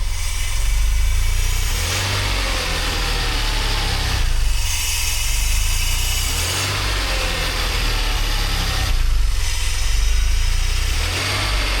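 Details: DeLorean, manual, cold start months after fuel/lambda/idle work including idle control valve replacement: steady low idle with even rumble and gentle swells, no knocks or misses; sounds good.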